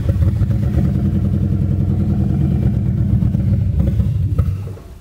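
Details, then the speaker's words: 2002 Mustang GT, start attempt after fixing a large vacuum leak at the valve cover-to-intake hose, good fuel pressure: catches, runs rough and uneven about four seconds, then dies; better than before, cause not found. "okay better a lot better um still kind of surprised she didn't want to just fire up and run"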